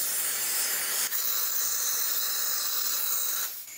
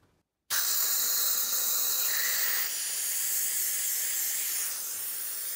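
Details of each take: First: Second catch can one-way check valve (3/8 in hose) fitted backwards under constant airflow; steady high-pitched hiss for about three seconds as air still gets through; the valve leaks in reverse. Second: Catch can one-way check valve (3/8 in hose) under constant airflow, fitted forward; steady even hiss with no chatter, flowing freely with about 2 psi back pressure.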